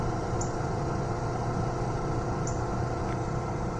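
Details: 2006 Ford F250 HVAC blower motor after replacing the old shorted motor with a new one: steady, even low whoosh and hum with no rattle or squeal; the blower runs smooth and healthy.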